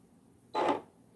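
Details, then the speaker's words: Brother SE600/625 sewing machine switched on: short quarter-second whirring burst as the needle drive cycles once, then quiet; usual power-on noise. "So it always makes that noise when you turn it on."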